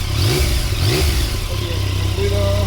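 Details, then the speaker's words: 2017 Yamaha Tracer 900 CP3 triple after replacing clutch discs, blocks, clutch basket and hub to cure clutch noise: clean throttle blips rising and settling smoothly, no clutch-side rattle; normal running, no noise. "Bueno, pues ya hemos eliminado todos los ruidos. Eh, voy a arrancar para que lo escuchéis. Bien, ningún ruido. Se oye perfectamente la moto."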